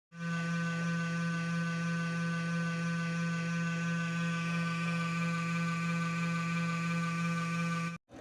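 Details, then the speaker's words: Computer system unit giving a steady low drone with a faint rough buzz and rattle from the power supply cooling fan, whose bearing has run dry. "друзья всем привет если вы столкнулись с подобным шумом в системном блоке вашего компьютера то дело однозначно мы имеем вот с данным товарищем такие звуки может издавать один из кулеров установленных внутри вашего системного блока"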